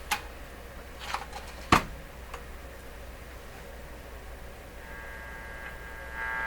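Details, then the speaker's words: Canadian Crosley 12B radio on the shortwave band during detector-stage work, after grounding fixes cleared the static on AM: low steady hum under hissy static with sharp crackles; shortwave reception still poor, cause not yet found. "So this is on the shortwave band. That still doesn't sound good to me."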